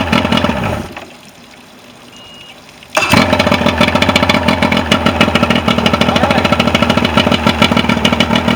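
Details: Mercury 125 outboard, formerly no-start, after used stator, rebuilt carburetors, new spark plugs, fuel pump kit and fuel filter: brief crank, catches at three seconds, settles into steady even idle without misses; running properly.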